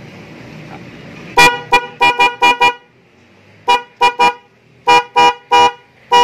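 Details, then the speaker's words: Denso snail horn just installed on a Vespa matic with a relay, powered straight from the battery, after an earlier test sounded weak, possibly from a mount touching the body. Loud, clear, full blasts in groups of five, three and four: the horn now sounds good. "Woi Madam ini suaranya udah bagus"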